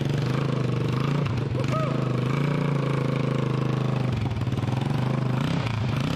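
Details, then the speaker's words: Honda TRX200SX single-cylinder after full rebuild, cylinder bored .020 over, new crank bearings and seals, JB-welded cracked stator cover, engine out of frame on the floor: loud even beat at steady fast idle, no rattles; normal running. "Considering what it started with. Sounds good. Sounds pretty mean. No rattles."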